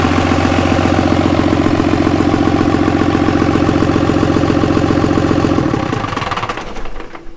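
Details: Cummins diesel in a Jeep YJ on first start-up: an even, regular diesel clatter at idle that holds steady, then winds down when the key is turned off; runs clean and healthy.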